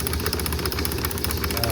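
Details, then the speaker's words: 1949 Ford F1 magneto spark test, terminals 5 and 6 wired to two grounded spark plugs: quick, crisp, evenly spaced snapping ticks with no misses; the magneto gives good spark. "You might not be able to see every single one because of the frame rate of my camera, but you can hear the nice rhythmic clicking."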